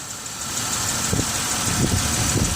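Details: 2006 Chevy Uplander wheelchair-accessible van, 175k miles: an even, steady idle hum with a smooth low drone and no knocks or misses, and no visible leaks. Normal, healthy idle.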